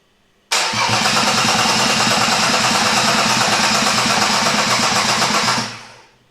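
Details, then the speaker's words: Freshly rebuilt Mercedes M104 cranking on a temporarily fitted, more powerful aftermarket starter with an eight-year-old battery: a fast, even starter whirr that gradually loses pace as the weak battery sags. Oil pressure is good. "it's worth noting that this battery is eight years old I'm actually surprised it's putting up with this punishment but you can already notice it's slowing down"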